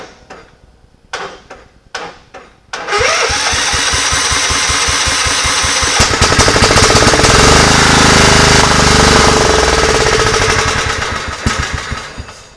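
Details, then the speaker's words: Scotts riding mower after cleaning pine straw out of the clogged fuel filter and fixing the starter wiring: several cranking bursts, then it catches and runs loud with uneven popping as speed rises and falls; runs on its own but backfires through the carburetor. "now fuel is getting to the carburetor and I can get it to run on its own and stay running but it was back"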